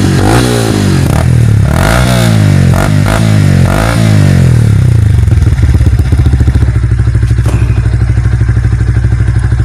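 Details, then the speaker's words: Yamaha Vixion after piston and cylinder block replacement, the old clearance caused by oil loss from a leaking clutch cover gasket; throttle blipped, revs rise and fall cleanly before settling to an even idle with no knocking. "Kini setelah kita ganti seher dan bloknya, suaranya kembali seperti motor fiction baru. Oke. Akan kita coba dulu sedikit main-mainkan gasnya."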